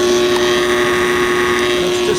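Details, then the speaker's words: Pool cleaner booster pump (main pump works): a loud low electrical hum with no healthy spin-up whine. The impeller spins at only half speed. Bad, burnt-out motor needing replacement. "just not spinning at full speed, spinning at half speed. So that tells us the motor's bad. We're gonna have to replace that."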